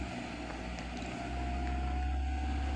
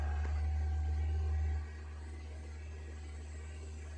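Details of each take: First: 2010 Suzuki (Maruti) Wagon R previously idling above 2000 rpm; scanner shows desired idle about 800 rpm and actual about 800 rpm after starting near 1000 rpm: steady low hum, no hunting or surging; normal idle. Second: 2010 Suzuki/Maruti Wagon R idling with throttle position zero, about 2297 rpm versus ~800 normal: steady fast drone with a brief swell; high idle, suspected sticking IAC valve on throttle body, not confirmed; noisy alternator belt also present.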